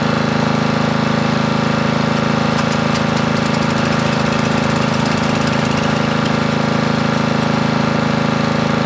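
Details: Briggs & Stratton 13.5 riding mower engine bolted to bench, gas fed to bowl, earlier flooded, mouse nest inside: single cylinder chugging steadily about 200 beats a minute, loud exhaust bark; bogs and stops, owner suspects flooding/hydrolock or mouse nest.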